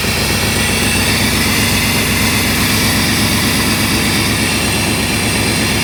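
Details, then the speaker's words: 1990 Chevy Silverado C1500 (OBD1) that was hard to start and idled rough when cold, after replacing the coolant temperature sensor; ice cold at about thirty degrees, it starts right up and idles steadily with no gas; normal cold idle. "alright guys it started right up I haven't touched the gas and it's running great so that was it"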